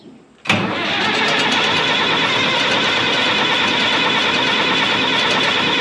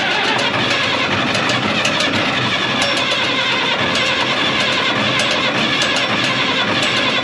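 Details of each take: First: 1965 Minneapolis Moline G707 diesel tractor parked 13 years, fresh diesel with conditioner, half then full throttle: steady cranking whirr for five seconds with no firing beats; cranks but won't start, fuel system lost prime. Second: 1965 Minneapolis Moline G707 six-cylinder diesel parked 13 years, after cracking injector lines to bleed air, about half throttle: cranks, catches and runs with rough busy clatter evening toward idle; diesel starting once air purged.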